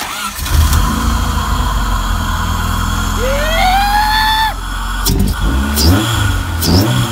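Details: Honda Civic VTEC engine swapped into a Mini, first key turn, no radiator fitted: short crank, catches, steady lumpy idle, rising whistle when revved then drops back; engine starts and runs.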